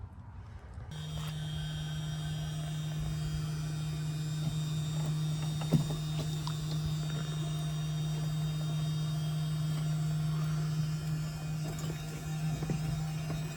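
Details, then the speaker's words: Audi A4 2.0 TFSI tank, being converted to ALH 1.9 TDI: in-tank fuel pump at the sending unit, jumped straight from a car battery to drain the tank, gives a steady low electric hum of constant pitch with no flow sounds; it runs but moves no fuel, possibly because the level is too low. "Is it moving fluids? It is not moving fluids. Interesting."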